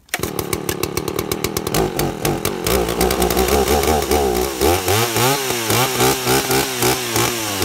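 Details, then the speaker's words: Two-stroke chainsaw carburettor tuned by ear at no load, the high-speed jet set a little rich: a hard high scream breaks into an uneven burbling warble as the mixture richens. High-speed mixture adjustment. "so it's a little bit thick a little bit rich and you'll hear it as I tuned it here so I'm gonna go ahead and try and tune it and hopefully the things that I explain will make sense"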